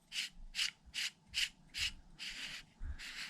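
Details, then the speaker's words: Traxxas XRT RC truck rear drivetrain turned by hand after sand got in: dry, gritty rasping strokes from a rusted, seized bearing whose outer casing spins with it instead of staying still. "This bearing is seized, so the outer casing is spinning with the bearing, making that noise."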